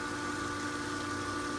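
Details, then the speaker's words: Pentair Dynamo pool pump motor that would not start, revived by hand-turning the bearings and plugged back in on filter: smooth even hum, steady mid-pitched tone with water swirl, no grinding. Far quieter than before; runs normally. "all right now that is way way way quieter than the other than life you never really realize"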